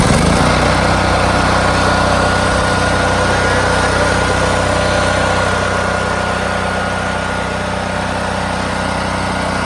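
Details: New Firman H05751 5700-watt dual fuel generator on its first start for break-in with synthetic oil and no load: a smooth, even single-cylinder idle with a steady buzz and no knocks or surging.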